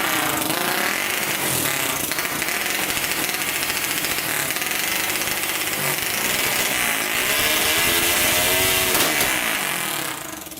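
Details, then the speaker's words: 1999 Honda 400EX single-cylinder quad with newly fitted turbocharger, after adding a fuel pump and hooking lines to the carburetor: engine revs up and down crisply, pulling cleanly without stumbling; seems to make boost and runs much better. "sounds like it's making some boost running a lot better"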